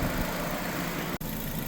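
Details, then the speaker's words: 2006 Nissan Sentra 1.8 L idling while burping the cooling system after a water pump replacement, near operating temperature (about 200°F) with radiator fans just on: steady, even idle, low unchanging hum, no knocks or misses; running properly. "Engine sounds like it's actually sounds like it's doing good."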